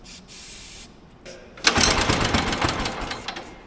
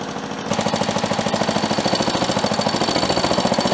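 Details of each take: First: Old motorized dumper, single cylinder, recoil starter. Cranks in a quick, uneven chatter for a couple of seconds but never even pops; crank no start. The main jet was later found turned all the way in, suspected of blocking fuel. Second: Old motorized dumper single-cylinder engine warming up, before oil change: fast steady chatter, loud and tappy but even, a little smoky; runs well, though compression likely below spec.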